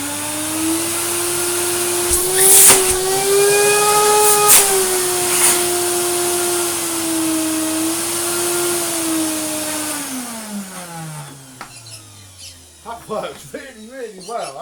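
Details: Retro Vax 5140 Ultra Rapide 3-in-1 carpet cleaner with brand new bag and filters: motor spins up to steady high whine, holds pitch evenly with handling bumps, winds down smoothly; healthy suction.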